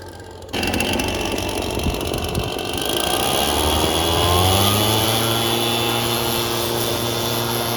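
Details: Red Max EBZ7100 two-stroke backpack blower under throttle, rescued from the dump with its missing fuel lines replaced and carburetor repaired. Catches and climbs to a steady, high-pitched howl, revs holding even without stumbling; running healthy.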